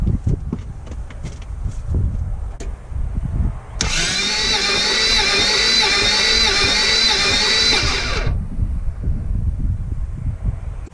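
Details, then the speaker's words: Toyota FJ62 Land Cruiser, about 296,000 miles, compression test on cylinder 2 with oil added: starter cranks about four seconds with a quick, light, even chug and little resistance; almost 60 psi wet, very low compression. "Almost 60 psi. Still abysmal. Very low compression."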